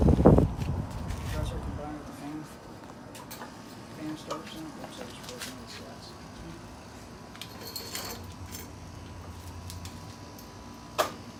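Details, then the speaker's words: Repaired Panasonic window air conditioner with new cord started up: brief start-up surge then steady low hum with no knocks or rattles; normal, healthy compressor running. "sounds good yeah that's a healthy compressor"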